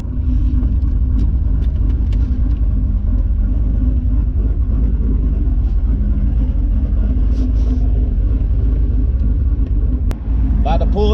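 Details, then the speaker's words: Turbo 6.0 LQ9 V8 (Escalade engine) in Nissan 240SX, warm idle: steady deep rumble with constant fan rush that drops away as fans cut off, now cycling thanks to new dual-pass radiator; normal warm idle. "you just heard the fans cut on the fans actually cut off and that's due to my new coil dual pass radiator"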